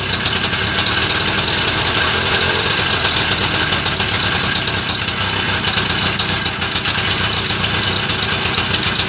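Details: Homemade Muravey tricycle, first start after repair: busy two-stroke idle, hissy and crackly up top but holding steady with no misses or knocks; normal, healthy idle.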